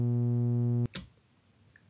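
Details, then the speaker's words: AMX AP-25 phono preamp: steady low buzzing hum from its power supply output, 120 Hz ripple and harmonics matching preamp output noise; mains hum from power supply ripple. "have a look at the spectrum of the output of the power supply and just like what we had with the output of the power at the amplifier we get 120 Hertz signal and it's harmonics"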